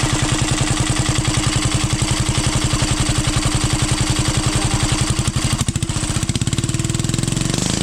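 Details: 12 HP air-cooled single-cylinder diesel, test run after overhaul; it had run once and then become hard to turn (owner suspected piston), valve clearance reset and oil added. Steady, even thumping at a low, regular beat that settles smoothly. Normal running.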